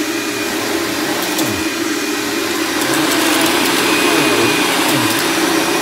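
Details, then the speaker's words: Dirt Devil Ultra Vision Turbo vacuum during a shredded-paper pickup test: loud steady roar with a wavering, sweeping mid tone over the motor hum; owner says it needs a new belt, worn drive belt. "And I know you guys can hear what this machine sounds like. Yes, I know I need a new belt, but hopefully I will get one soon."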